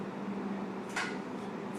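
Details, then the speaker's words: Proton therapy room, snout of the gantry closed after the medicine cup is slid in: quiet room hum, then a brief soft slide and light clunk as the snout shuts; normal operation. "that's just us changing your medicine cup and remember you felt the medicine cup so all that does is just slides into here and then we shut it okay"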